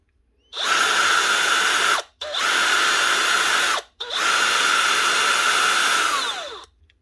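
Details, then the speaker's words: DeWalt DCP580 planer motor reconnected with belt removed so drum doesn't spin: three short bursts of smooth steady high whine spinning up and down cleanly; motor runs fine. "That sounds fine. So our motor's good."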